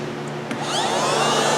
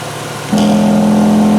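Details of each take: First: 2007 Mazda RX8 with codes P0411 and P2259 whose air pump had been replaced four times: a steady electric whir like a vacuum cleaner builds up as the secondary air pump is switched on and runs. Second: 2007 Mazda RX8, 1.3 L rotary, codes P0411 and P2259, AIR pump replaced four times elsewhere: steady humming whine switching on and off over an even idle; air pump and valve now cycle normally, valve suspected earlier stuck.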